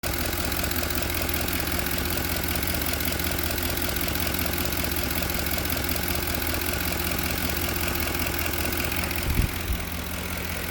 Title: knocking sound from 2010 f150